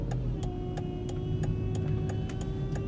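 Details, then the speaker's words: Volvo XC90 V8, at startup: steady mid-pitched power steering pump whine over idle with sharp ticks about three a second; bubbles seen in reservoir, owner suspects air entering via leaking O-ring, thinks pump needs replacing. "you have to see that noise there that wine it's kind of like annoying i think the pump needs to be replaced"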